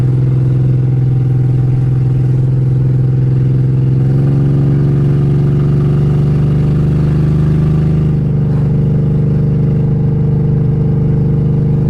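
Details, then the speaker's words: BMW 325xi E46 all-wheel drive, driving: very loud raw exhaust bark climbing through second, third, fourth gear and overdrive with a drop at each shift; open headers, no cats, runs decent. "It is ridiculously loud. Obviously, open headers, no cats, no nothing. But it actually runs decent."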